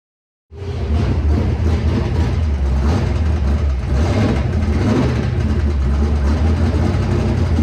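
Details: Ford Galaxie with an FE engine, noise that developed at the last race: loud, lumpy running with an uneven deep thumping under the exhaust, steady at idle; engine knock of unknown source, shut off quickly.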